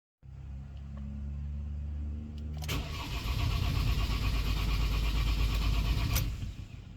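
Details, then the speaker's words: Ford Transit with crank angle sensor unplugged to disable injectors: steady even starter cranking about three turns a second, never catches, priming oil pressure until the oil light goes off, as after rebuild or oil change. "now this will disable your injectors and it'll disable the vehicle from starting so now we can go ahead and crank the engine"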